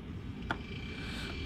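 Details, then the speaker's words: Variable speed compressor running after replacing its bad inverter, once the condenser fan comes on: low, even rumble with one brief click, no knocking or rattling; normal, healthy operation. "and there she is you can hear it she's rumbling she sounds good"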